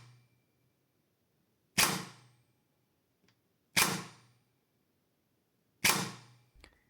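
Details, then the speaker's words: SCAR L AEG with ASCU Pro+ mechanical-switch unit, pre-cocking disabled, freshly greased gearbox: three semi-auto shots, each gear whir winding spring from fully forward piston, then sharp piston-head crack on cylinder head; normal cycle, slightly delayed trigger response. "Concerning the sound, you will hear the gear noise first and then the piston head's impact on the cylinder head."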